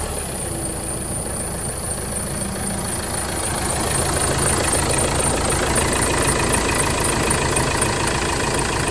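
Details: Vauxhall Movano / Renault Master 2.3 CDTi diesel van at idle after replacing the rattling, wobbling dual-mass crank pulley, with the belt and tensioner not changed: an even, steady clatter with no rattle from the pulley area.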